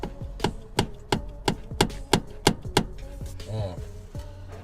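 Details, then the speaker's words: 2019 UAZ Patriot steering column, installed misaligned; shaft rocked by hand gives a sharp regular clunk about three times a second. Knocking steering column. "Значит, столкнулся с проблемкой стук рулевой колонки."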